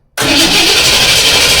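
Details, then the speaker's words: 1978 Ford F150, carbureted 460 big block, after swapping the aftermarket electric pump for a stock mechanical fuel pump: steady, even starter cranking with the coil unhooked so there is no firing, pumping fuel into a container to check for leaks. "I've got the coil unhooked so the engine won't try to start. And all I'm going to do is crank it over till I get fuel into that container, and then we can check for leaks."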